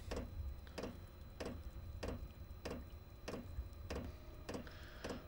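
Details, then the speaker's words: Chinese diesel heater with E08/E10 fuel-related errors after installation changes and new fuel line kit: light steady ticks about 1.5 per second over low hum as fuel pump cycles during ignition retry. "fuel pump just kicked down again looks like it's going to go through this process one more"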